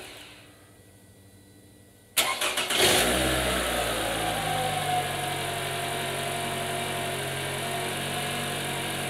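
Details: Toyota RAV4 after replacing an alternator that only put out 9.5 volts: brief crank, then smooth, even idle with the previous whine gone, now charging about 14.5 volts; normal idle.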